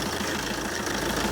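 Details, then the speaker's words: 2009 Fiat Doblo diesel van, about 140,000 miles, on a freezing November morning during a pre-MOT check; the owner says it sounds off on the road. Engine revved and idling: steady, even diesel clatter with no distinct knock. Sounds all right. Normal diesel idle. "Making me sound like a liar now. It sounds all right. I'm Not panicking."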